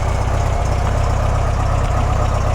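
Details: VW double cab, cold start after sitting since fall, on a fresh battery: deep, steady, even putter with a regular low beat and no misses or knocks; normal cold idle.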